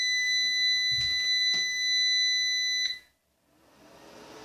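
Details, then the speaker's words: Orvaldi INV-12-840W Home UPS after an F05 repair. A steady high buzz for about three seconds, then it carries a 40 W lamp on battery and switches back to mains charging. Inverter works normally, though the fan makes an odd buzzing. "так лампочка запустилась добре акумулятор розряджається включаю мережу переключилась в нас мережа ла зарядка акумулятора все Ок тільки отой вентилятор Так дивно жршить"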